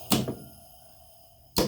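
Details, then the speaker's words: Lockout relay bypassed with a jumper on an HVAC cooling circuit and low pressure created: sharp clunk, then another about 1.5 seconds later as the compressor contactor slams in and out on the low-pressure switch, short cycling. "that's your compressor banging off and on guys low pressure pressure boosts back up low pressure pressure goes back up low pressure"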